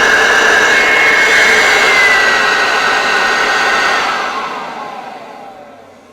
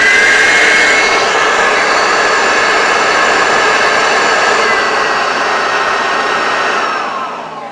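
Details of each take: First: Hoover Turbopower Freedom U2262 vacuum cleaner after cleaning and refurbishment, first power-up; steady high-pitched whine with even whoosh of air, then smooth spin-down after switch-off; normal running. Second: Hoover Turbopower Freedom U2262 vacuum cleaner on first power-up after refurbishment and motor reinstall; high steady whine with slightly uneven coarse edge before winding down, owner says not a hundred percent and needs time to wear in; rough motor sound.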